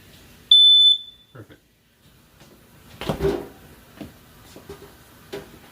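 One sharp, high-pitched alarm beep of about half a second, then handling clicks and thumps: a working smoke alarm test.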